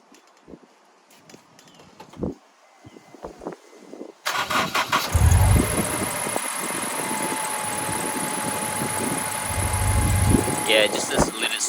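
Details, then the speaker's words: Honda S2000 engine starts and idles with a faint steady squeak and a slightly uneven beat. The owner suspects the accessory belt, recorded before belt replacement, plus a small misfire that appeared while driving the day before. "squeaky nice so i'm pretty sure this is from the belt and small misfiring"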